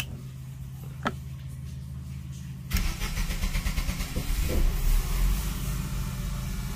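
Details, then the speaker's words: Diesel generator on a Regal boat, after fixing crossed white and pink start-circuit wires that caused shutdown problem: quiet until the starter bites, then catches at once and runs steady and even; normal start. "right start up no problem now let's see if it shuts off"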